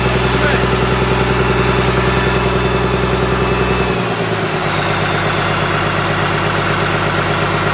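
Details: Komatsu SAA6D114E-3 diesel in a PC300-8 excavator after a major overhaul: a steady, even beat that drops smoothly to lower speed midway, with no knocks, misses or rattles. It sounds healthy.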